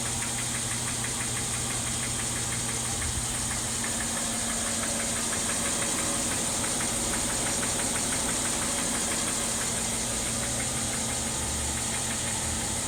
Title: 2012 ML 350 engine knock sound.